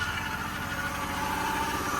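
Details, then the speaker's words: BMW E28 running after MAF refitted and vacuum lines reconnected, first drive in 22 years: smooth, even idle with steady low hum, no stumbling; slight hesitation noted, throttle possibly set a little high from adjustment to get it started. "Oh, she runs. Sounds good too. Got a little hesitation."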